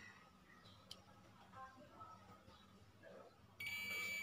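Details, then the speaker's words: Multimeter on continuity setting, probes across a wire section: a quiet room, then a steady high beep holds, confirming this wire section is intact with no break. "तो ये वाली wire भी ठीक है, यानी कि एक चीज़ confirm होगी, हमारी जो ये वाला वायर का हिस्सा है ये बिल्कुल ठीक है।"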